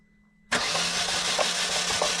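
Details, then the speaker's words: Peugeot 307 1.6L 16V barn find, said to have a dead engine, cranked with spark plugs removed; starter spins it fast and evenly with no binding, scraping or odd noises: engine turns freely, not seized. "ok le moteur est pas bloqué vas-y refais pas trop pas trop refa stop stop il y a même pas de bruit bizarre mec il y a même pas de bruit bizarre"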